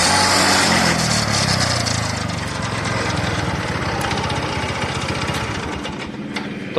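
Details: TVS Ntorq BS-4 scooter: a rough start, then a busy rattling run with extra clatter over the engine. The owner thinks the starter one-way clutch is damaged and plans to remove the engine to inspect it.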